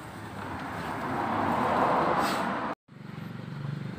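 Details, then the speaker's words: Honda Beat ESP scooter after valve clearance adjustment, previously stumbling on throttle after ~23 km despite injector cleaning and normal 40 PSI fuel pressure, no MIL code; test ride shows more responsive pull, smooth rise in revs then even idle; fixed. "udah selesai semua dan body udah dipasang tadi udah dites jalan dan alhamdulillah berhasil untuk tarikan lebih responsif"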